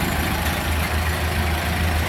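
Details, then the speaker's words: 1929 Ford Model A Tudor sedan four-cylinder idling with one hood side open: a low, steady idle with an even, soft beat and no knocks or ticks. It sounds healthy and is said to drive nicely. "Listen to her purr. Pretty cool. Drives out nice too."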